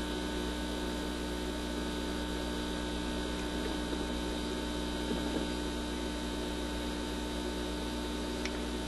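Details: Admiral suitcase record player with newly installed replacement cartridge, amp on but cartridge wires being reconnected: loud, steady low mains hum with an even buzz over it, unchanging, coming through the amplifier; cause unknown.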